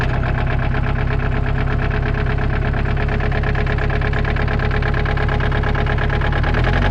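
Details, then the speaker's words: Kubota excavator diesel at idle: heavy, regular knocking pounds through a steady idle; a deep bottom-end knock suspected to be a connecting rod, unconfirmed until teardown. "so pretty sure that's connecting rod or something like that"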